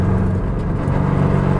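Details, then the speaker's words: GT86 with solid transmission mounts, lifting off in 5th gear, heard inside the car: a heavy, deep rumble with race-car whine, strong vibration and coarse rattling, much louder than before. "It's really loud, a lot of vibration. You do get that cool sort of race car whine, but the vibrations and the rattling and everything is a bit worse than I was expecting."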